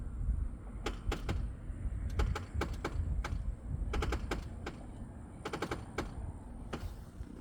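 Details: Tesla Model X in a quiet cabin: sharp dry clicks in clusters of two to four as the steering wheel turns, first noticed after a half-axle repair; owner suspects the steering gear was damaged, unconfirmed.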